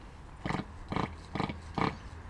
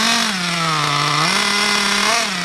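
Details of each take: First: RC nitro engine unused about a month, hard to start; five short rough bursts, turns over but never fires; owner thinks it is a bit flooded with excess fuel. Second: RC nitro car engine, bought new about 6 months ago, unused for a month and hard to start; after fitting a new glow plug and fresh fuel and adjusting the high-speed, low-speed and idle needles, it buzzes high and clean, revs rising and falling smoothly with throttle, no misfires. Normal running.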